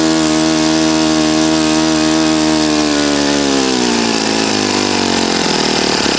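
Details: Saito FA-40a four-stroke glow engine, 11x6 Master Airscrew prop, Omega 10% fuel, valves set, needle opened 2.5 turns: steady, even high buzz with clean firing, then revs ease smoothly down; healthy normal running.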